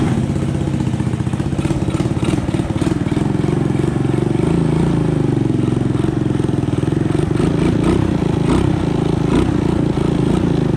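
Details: Honda ATC 200ES single-cylinder, long unused and previously dead, just fitted with a Chinese carburetor: quick even putter at a fast idle set too high; idle to be dialed back, air-fuel mixture may need adjusting.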